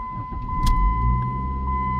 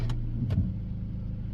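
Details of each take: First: Dodge Neon with swapped throttle body parts and a 2002 automatic idle air control valve, A/C on: a short crank, catches at once, then a quiet steady idle that lifts slightly under a chime. Starts normally and idles up. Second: 2002 Dodge Neon, warm, after fitting its throttle body with 2002 automatic idle air control valve parts: quiet low idle that sags and lugs down too much when put in gear; runs better than before.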